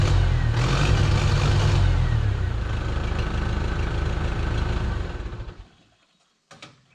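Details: 1968 Case 580CK backhoe, 188D diesel, rebuilt after seizing from rain; first run after rebuild: deep uneven lumpy chug that never cleans up, then winds down and dies; runs poorly, owner says it really needs injectors.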